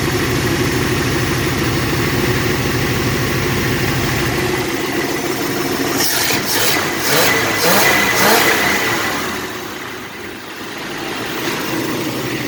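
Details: Long-stalled Dodge wagon V8 first run after unseizing, no blue smoke despite suspected worn valve seals: steady even idle, smooth firing beat, brief noise burst midway, no knocks or misses; normal idle.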